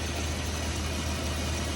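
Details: Dodge Ram 1500 that broke down at work, check engine light on: steady, even idle with a deep regular hum, no misses and no engine shaking. Owner suspects the fuel filter; cause not confirmed.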